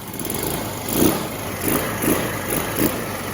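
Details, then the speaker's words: Lexmoto FMS 125 single after valve clearances were set and a new spark plug fitted, started on a flat battery: steady raised idle around 1,500 rpm, even beat with no misses; the owner is unsure what fixed it. "Well, it's running. That ain't even connected."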